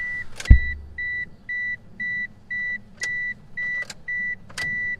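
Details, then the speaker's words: 1997 Mitsubishi Eclipse RS 420a, key on before a cranking no-start: steady electric fuel pump hum from the tank with relay click and chime; normal priming; no-start was later traced to both camshafts out of time. "you can hear that fuel pump priming back there so I know it's priming and getting the right fuel pressure"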